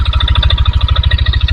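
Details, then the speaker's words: 2022 Yamaha NMAX, CVT pulley and roller housing removed, mic held close; heavy even knocking about eleven a second locked to idle persists, so CVT ruled out. "Setelah saya hidupkan motor ini suaranya tetap ada, jadi tidak hilang, karena memang untuk di area CVT dia bagus semua ya teman-teman."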